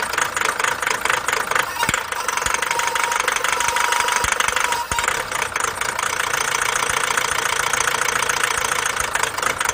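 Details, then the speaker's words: Chevrolet Captiva 2.0 diesel idling with harsh, uneven rapid clatter; the dealer had said replace the turbo. Real cause: an aftermarket daytime running light tapped power from an engine powertrain fuse, lowering the supply voltage. "이건 엔진 파워트레인 관련되어 있는 슈즈라 그런 공급하다가 뭔가 전압이 낮아져버리면 엔진이 아까 같이 그런 상황이 일어나요"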